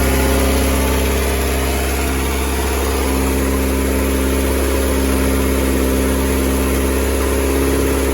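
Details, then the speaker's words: 1988 VW Polo MK2 breadvan after the carburettor refit, running once the fuel filter filled: a steady but raised, slightly high drone with no misses; owner suspects the choke is still on, and it later stalled. "It's running pretty good. It's just revving a bit fast at the moment, but that could be because the choke isn't off yet."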